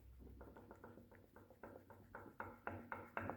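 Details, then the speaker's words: Peugeot 206 right-side forged suspension arm rocked by hand: sharp metallic clicks about four a second, growing louder, from a worn ball joint with apparently no grease; it knocked over every small bump, bushings still fine. "Похоже, там вообще нет никакой смазки . Вот так она стучала по каждой маленькой выбоине, по каждой кочке."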